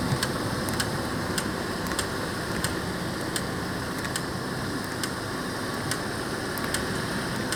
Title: Diagnose ticking and clicking noise in your car front wheels